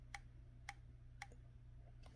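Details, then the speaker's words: Dell Inspiron 5515 laptop (third unit): three crisp, light clicks about half a second apart as pressing the case bottom makes the touchpad register phantom clicks without anyone touching the pad. All three units had the issue. "But say you're not doing anything on the pad, it thinks I'm selecting it. So I am not pushing, double clicking. It's from pressing the bottom."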